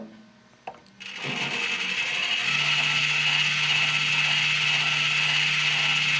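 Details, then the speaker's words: V1 machine with bad drum motor: harsh raspy grind over a steady low hum, worse when pressed and stops when fingered; likely failed internal plastic gear in the drum motor. "I'll show you what that a bad drum uh motor sounds like."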